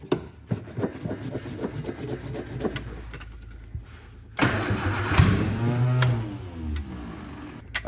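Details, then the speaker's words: 1967 Austin Healey Sprite, choke pulled after reconnecting a loose wire: even cranking chug about four beats a second with a few uneven catches, never running; owner suspects swapped plug wires or wrong firing order, not confirmed. "so it seems like maybe maybe the firing order is wrong so maybe these plug wires were switched around because it it goes to start but it's not completely engaging"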